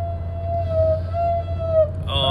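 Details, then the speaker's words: Copart Chevrolet Impala project car rolling slowly in reverse: steady mid-pitched howl from the rear only in reverse, silent going forward; first thought a rear bearing but found to be rear brake drums dragging. "notice how that we only get that sound out of that bearing or that break in reverse it doesn't make any noise going forward which is it's interesting"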